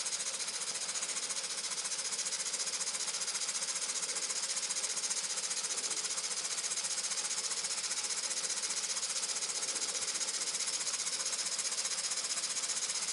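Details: Muncaster table engine run on a 3-inch fire-tube boiler, gauge back to about 160: quick, even chuffing around 220 beats a minute, light and hissy, no knocks; healthy engine steadily gaining speed.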